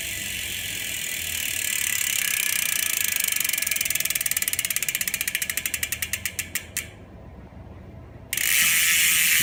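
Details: Ultrateam 2018 Ceramic wheelset freehub (6 ceramic bearings front and rear, carbon rim, Pillar spokes), coasting: fine rapid ratchet ticking slowing to separate clicks as the wheel winds down, smooth and even; normal healthy freehub.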